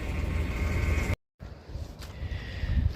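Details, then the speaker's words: 1999 Dodge Dakota with the engine running: a thin steady whine holds its pitch above the engine rumble. Added fluid didn't help, and a fresh leak was found at the power steering pump, which is starving for fluid or failing. "if you have a power steering that's either low one fluid or a pump that may be going bad when you do this with the running you hear that noise that's the pump starving for fluid and or going bad"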